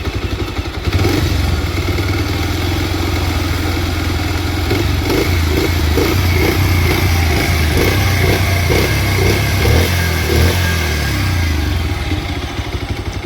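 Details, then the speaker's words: Bajaj Pulsar 125 E20 motorcycle, nearly new, odometer reading 9999 km, idling evenly with a sharp, regular "kat-kat" tick from the engine about four times a second; engine ticking noise, cause unknown. "और इसका engine से एक sound आ रहा है cut cut cut करके तो आप लोग देख पा रहे"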